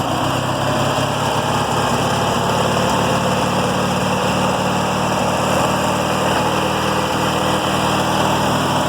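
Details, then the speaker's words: Small single-cylinder riding mower engine after fitting fuel filter and fuel cutoff and pulling the carburetor: even, steady beat holding speed without stumbling or surging; normal running. "crank it up for you and y'all could hear the little engine run and go from there ain't no joke yeah it has been run for this no joke no gas"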